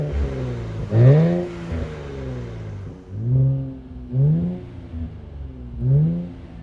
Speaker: Get that turbo spinning just a little bit. This car sounds absolutely great.